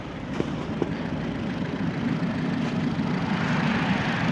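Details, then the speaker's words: 2011 Fiat 500 Sport, 1.4L non-turbo MultiAir, 168,305 miles, with a bad alternator not charging and a flashing throttle-control light: uneven, lumpy idle with slight shaking; a rough idle, momentary flashing check-engine light, no code stored, cause not evident. "it's running a little rough but no check engine light on"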